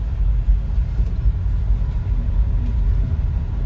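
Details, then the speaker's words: Nissan Grand Livina L11 driven over uneven concrete after replacing worn front caliper pins that caused clunking: only soft, steady road rumble and some interior noise, no knocks from the front end; suspension now quiet. "Nah, bahkan kalian dengar bunyi interior pun ada suaranya, saking nggak ratanya. Dan ini udah enak ya, udah nggak ada suara dari itu lagi."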